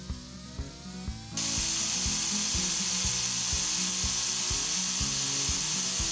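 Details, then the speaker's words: A loud rush of compressed air spins a lathe-made gyroscope flywheel over a regular knocking rattle, about three knocks a second. The first test run had the bearings slightly loose and the flywheel not yet balanced; the bearings were tightened afterwards. "On my first test run, I had the bearings a little loose, and you'll hear some vibration. And then afterwards, I tightened the bearings up."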